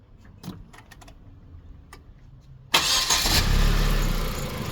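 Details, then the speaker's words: Hyundai Genesis 2-litre turbo petrol engine (automatic) for a Gazel truck, runs on petrol; quiet handling noises, then catches at about three seconds and settles into a steady, even run; healthy engine start. "xolasa zavod bo'lishlari yarimtaga zavod bo'lyapti. Ishlashlari ham mana tanga qo'ysa turadi, xudo xolasa."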